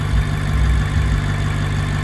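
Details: BMW 650i N63tu (stage 2 turbos, E40 tune, trans tune) idling after high-output ignition coils were installed; deep, steady low rumble with an even beat and no stumble or misfire, idling healthy.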